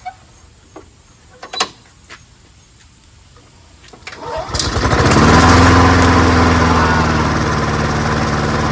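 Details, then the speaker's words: Free old rusty Honda self-propelled walk-behind mower, oil clean and full, fresh gas, started with choke on first pull; a few quiet knocks, then catches into steady even drone without surging; carburetor judged not needing cleaning; normal running. "as you can see, it starts up wonderfully, like most Hondas do, you know. First pull all the time."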